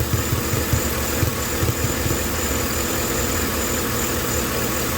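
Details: 2012 Chevrolet Silverado 5.3L (possibly 6.2), codes P0300/P0301, original plugs and wires, at idle: uneven, lumpy V8 beat with low thumps dropping out of rhythm. Cylinder 1 misfire at idle; plugs 1 and 3 about to be swapped.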